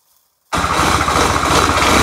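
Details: Kubota D600 diesel swapped into a Case 220 hydraulic-drive mower tractor (16.5 hp), warm, not a full cold start: silence, then catches and settles straight into a steady, even idle with no knocks or misses; normal idle.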